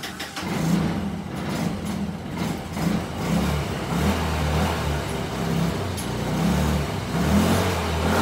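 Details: Kymco scooter with gravity-fed carburetor, fuel pump bypassed: idles unevenly, hunting and stumbling about once a second, never settling, still running poorly so fuel pump likely not bad; partly blocked carburetor idle jet.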